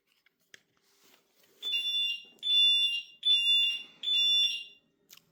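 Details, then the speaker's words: 2015 Honda Vezel with Vodafone Automotive 4822 alarm installed: four shrill high-pitched siren bursts about three-quarters of a second each, roughly once a second; alarm triggered by arm through window, then disarmed. "So I've just disarmed that. As you can hear, it's bloody horrible."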